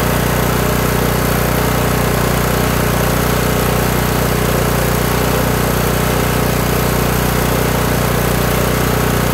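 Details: Kohler Courage 18 engine on a lawn tractor, after turning out the carburetor's low idle adjustment screw (non-adjustable jet) to stop governor surging; now an even, steady single-cylinder idle with no hunting, governor linkage no longer rocking.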